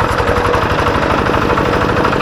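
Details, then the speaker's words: Kubota G3000 tractor diesel, easy starting and good power: harsh rapid knocking over a steady idle; teardown found the NF308 bearing and gear plate by the flywheel pitted and worn, causing the rough sound. "Suaranya sangat kasar sekali ya ini dimungkinkan menurut saya ini bisa jadi ini adalah lakernya atau piringnya dimana piring yang dekat dengan roda gila atau bearing yang dekat dengan kita tidak tahu"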